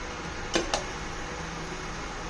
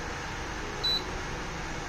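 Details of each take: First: Induction cooktop with a compatible pot on it gives a steady, soft hiss, which shows it is working and heating normally. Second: it should be cooking but it's not doing anything let's test with water nothing happens it just blinks so that's how you know that this is not compatible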